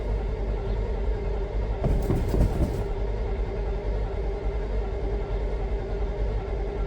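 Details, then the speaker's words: First start after installing a DIY dual exhaust with new exhaust manifold and donut gaskets: a steady, low churning crank with no firing pulses yet. The engine turns over but won't catch. "she don't even sound like she's hitting yet"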